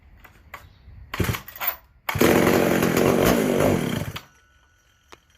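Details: McCulloch SP125 chainsaw with 36-inch bar and chain, third start attempt after sealing a large carb-to-intake vacuum leak: a couple of pops, then about two seconds of strong, steady revving before dying down; now runs cleanly, drawing fuel, high-speed side likely too rich.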